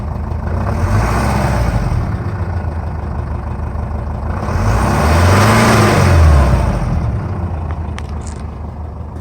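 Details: 2006 Jeep Liberty 2.8 CRD 4x4 turbocharged, intercooled diesel, all-stock exhaust with catalytic converter and muffler, likely untuned: idle clatter swells into a smooth rev around the fifth second and settles back evenly; normal, healthy revving.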